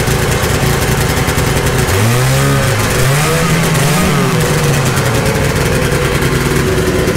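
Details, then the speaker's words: 1972 Ski-Doo Nordic 440 two-stroke snowmobile with a rebuilt engine, after new plugs and carb adjustments: revs unevenly, rising and sagging with a ragged sputter instead of clean pickup; it was starving for fuel on the test drive. "okay everybody it's actually a few days later the test drive didn't go too well like it was starving for fuel"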